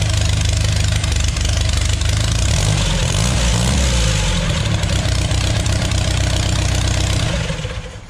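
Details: Custom mini rail dragster with 3.0L GM (Chevy) engine and TH400, carbs need smaller jets; first start fires right up and idles a bit too high, runs evenly; a clicking once mistaken for valve noise was the alternator fan touching the water pump pulley.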